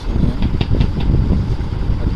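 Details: Ceiling fan running with a low hum and sharp regular clicks about five per second, from a seized motor bearing.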